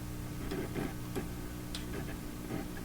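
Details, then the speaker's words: Philips Sonate BA581A vacuum tube radio while touching parts: irregular sharp crackles and ticks in uneven bursts over a faint hum. Intermittent crackling, not yet isolated; a cleaned, reinstalled tube socket is suspected and got worse. "well it's not easy to isolate the so many things are appear to be affected by just having"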